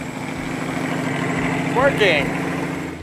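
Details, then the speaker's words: Old Ford truck being revived to drive 500 miles home; after fuel pump starts working, engine holds a steady but uneven, slightly lumpy idle with no knocks or rattles. Owner suspects timing needs adjusting. "sounds like we need to play with the timing a little bit"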